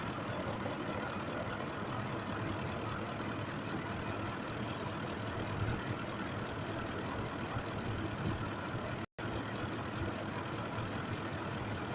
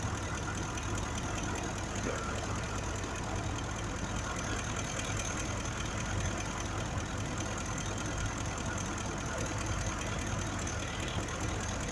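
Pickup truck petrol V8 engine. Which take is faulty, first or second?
second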